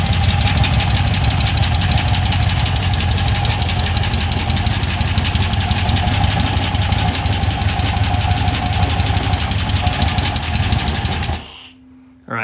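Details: Cheap LS 4.8 LR4 V8 on a run stand: hard fast knock about three a second over rough idle, worsening with revs; owner suspects a lifter coming apart or a piston letting go, unconfirmed.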